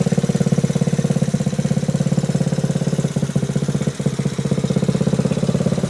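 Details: Frame-off restored 1986 Honda Z50R pit bike with aftermarket exhaust: small single thumps at a steady quick idle with a brief throttle blip, even and clean. Healthy engine.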